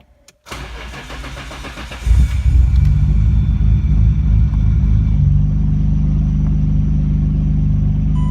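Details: Nissan Skyline GT-R R32 RB26 after twin turbo upgrade overhaul, E85 fuel conversion and fabrication: about two seconds of cranking, catches cleanly and settles into a steady, even idle with deep smooth exhaust note; healthy start.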